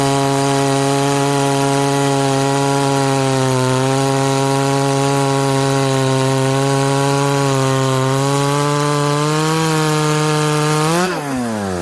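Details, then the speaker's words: Ported 66cc chainsaw in a cut, possibly able to pull a 28-inch bar: steady, high, even two-stroke howl holds speed through the cut with barely any sag, then spins up free; healthy strong pulling under load. "hmm here's the chips we're pulling okay that thing's an absolute monster"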